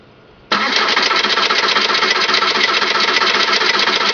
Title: 2002 Jetta TDI Hard Start